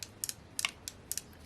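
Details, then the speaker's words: Saito FA-130T odd-fire model aircraft four-stroke engine turned slowly by hand with prop fitted: light sharp clicks in loose pairs, normal healthy rocker sound, good compression, bearings feel fine. "that's a happy rocker sound so you got compression here compression here and then it goes all the way around"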